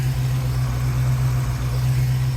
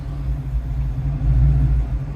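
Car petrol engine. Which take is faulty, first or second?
second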